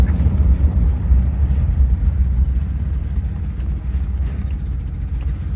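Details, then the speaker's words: Rolls-Royce Silver Shadow at idle after driving on a cobblestone road: deep, uneven puffing throb; idle is okay but there is a huge exhaust leak. "idle's okay there's a huge exhaust leak obviously"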